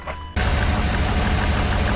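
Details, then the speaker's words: 1996 Chevrolet Suburban, 5.7 Vortec V8, 4L60E, long-standing misfire: cranking for a compression test on a sooted-plug cylinder, even chugging with one lighter stroke, reading 60 psi (later 120 psi after running); low compression. "oh so that's 60 psi in this cylinder it's not ideal definitely want to be a bit more than that"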